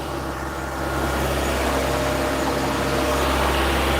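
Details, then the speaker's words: Toyota MR2, 40 years old: steady, even hum sitting a bit high and easing slightly; fast idle expected to settle down in a minute. "She'll settle down in a minute. Here she goes. Because at the moment she's running a little bit, well, she's idling a bit high."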